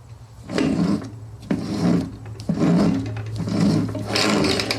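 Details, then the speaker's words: Honda HRX217 lawnmower rear drive turned by hand: slow, uneven rasping grind about once a second, slightly smoother as grease works through; the drive gears are dry and worn and need more grease. "You know, it's starting to get just worn. You could hear the sounds getting a little bit better as that goes through. But that that sounds rough. So, it needs more grease in it."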